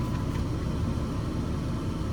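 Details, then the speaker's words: 2008 Dodge Avenger after replacing the HVAC blend door actuator (part 68018109AA): steady low engine hum with the dash blower running, no more clicking from behind the dash; blend door actuator now working normally. "there you have it she's no longer clicking yes it was a success"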